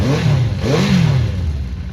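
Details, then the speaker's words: Honda CB400 Four after tappets reset: even, quiet idle with light throttle blips, only the exhaust note and no internal engine clatter; valve noise cured. "That's how it's meant to sound. Just the exhaust note, not the flipping internals of the engine."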